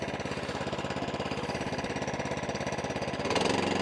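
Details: Atco Balmoral 20sk petrol mower, choke off, after E10 fuel no-start problems: even steady firing beat about three or four a second, no misses or hunting; running cleanly.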